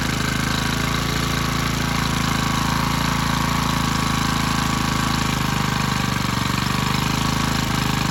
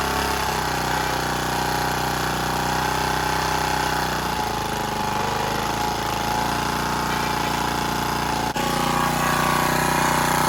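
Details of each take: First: Generac CW15K gasoline water pump engine whose throttle rod is too long for the carburetor: small engine screaming flat out at a steady high pitch with a hard rapid buzz far above idle; overrevving from the misadjusted throttle linkage. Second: Generac CW15K gas water pump after carburetor and throttle rod work, with oil possibly low: steady, busy small-engine drone holding an even speed for ten seconds with no surging or stumbling; normal running.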